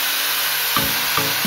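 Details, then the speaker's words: Kyuho LG100 hand grinder after bearing and carbon brush service, plugged in and spinning; steady, even high-pitched whir with a couple of light handling knocks, no grinding, rattle or sparking, running normal and quiet again. "Kaget, bos. Putarannya ternyata kenceng banget dan sudah normal bosku putarannya, serta suaranya juga tidak berisik."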